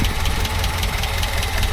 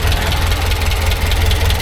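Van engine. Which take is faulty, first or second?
first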